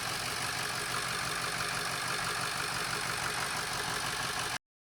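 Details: Ford 6.0 Powerstroke diesel after fixing a crank/no-start from low high-pressure oil (ICP) pressure; even diesel clatter at steady idle with a regular beat, no misses or knocks; engine idling normally.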